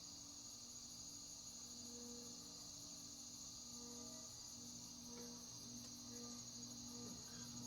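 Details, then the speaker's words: Codep 36-inch model 314 cast-iron-motor four-curved-blade commercial ceiling fan: steady hum with high shimmering metallic ringing pulsing with rotation; owner suspects something loose, rubber washers between blades and motor would silence it; still quiet enough for a bedroom. "So that sounds like a very specific piece of metal reverberating. Reverberating, yeah. So I think either something's loose or some rubber washers between the blades and the motor would make it silent."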